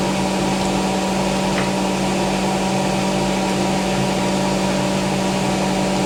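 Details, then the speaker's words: Hotpoint BIWDHG75148UKN integrated washer dryer at about 1400 rpm spin: steady, even high-speed spin with smooth induction motor hum, no knocking or grinding; sounds healthy. "It sounds good. two, right? Interesting. I think that's like 1400 now."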